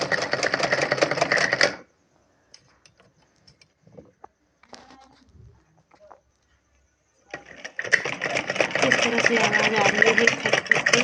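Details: Sewing machine running with a harsh knock: fast rattling clatter, about four beats a second, in two bursts with a quiet gap; knocking noise needing repair.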